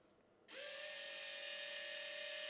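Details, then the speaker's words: V5 SMT Pro pick-and-place machine, electronic feeder setup: a small feeder motor spins up cleanly into a steady, even whine with no grinding or stutter; only the selected feeder powers up and advances normally. "So now you can see when I'm clicking that thing, that's the only one that's actually powering up. And that's correct. That's exactly how we want it to be."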